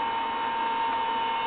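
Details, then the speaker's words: Collins airborne HF communications transmitter powered on 28 volts and 140 volts, no high voltage; steady rushing blower roar with a fixed high-pitched hum on top, the cooling blowers are noisy. "As you can hear, it is fairly noisy."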